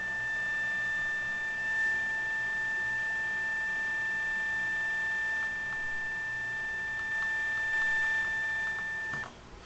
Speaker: Scanning. Beep. That's stupid. I don't know why it just keep doing that.